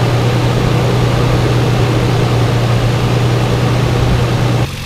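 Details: 2006 Toyota 4Runner V6 after a spark plug change: steady, smooth low idle hum with even firing, no knocking or misfires, no check engine light; healthy.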